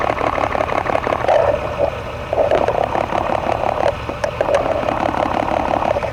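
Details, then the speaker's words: 1999 Toyota Tacoma with a random misfire and P0305 code, electronic stethoscope on a known-good fuel injector: quick, even, crisp ticking over a soft engine hum; a normal injector click. "Okay, that's a good fuel injector."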